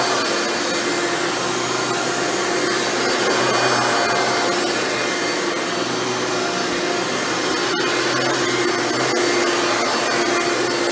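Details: Hoover Elite upright vacuum test run after motor rebuild with new motor bearings: steady smooth high roar, even tone, no bearing rattle or grinding; runs much better than when acquired.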